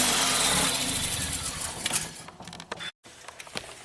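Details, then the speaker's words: 2017 Ford Focus after owner swapped in a used DSG and new dual clutch, air pipe off, MAF disconnected: loud start, then uneven sputtering pops and cut-outs, won't idle; backfiring into intake, no codes, timing untouched. "So no fault code stored, and this engine runs like crap. You would think it might be a timing problem, but nothing was touched with the timing. It sounds like it's backfiring into the intake manifold."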